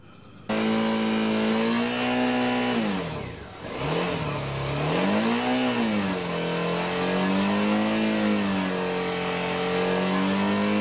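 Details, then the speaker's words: 2013 Suzuki V-Strom 650 revving smoothly, steady hum free of rattle after bushing fitted to Givi crash bar mount; previous tinging rattle around 5,000 rpm gone; normal running, no rattle. "all right that seems don't solve it no more mysterious highway rattle"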